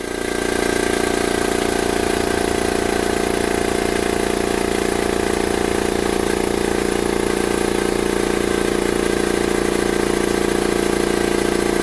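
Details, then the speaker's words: New Makita MAC700 compressor outdoors, sound meter about 2 feet away, peaking near 90 dB: steady even motor hum with a smooth pump beat around three per second, no knocks or rattles; normal running. "Okay, so the meter's probably 2 feet away from the compressor, and you can see we had a peak of about 90 decibels."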